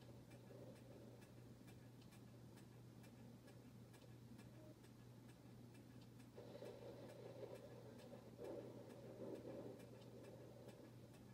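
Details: Harbor Breeze Bella Vista ceiling fan ticks steadily, nearly four clicks a second, over a low motor hum, wobbling because its mounting bracket is loose.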